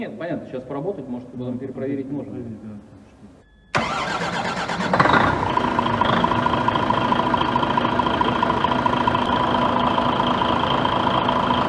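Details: DAF XF95 truck diesel at 1.8 million km, rebuilt after overheating caused heavy oil consumption, first start: starter cranks briefly, then it catches and settles into an even steady idle with no knocks or misses.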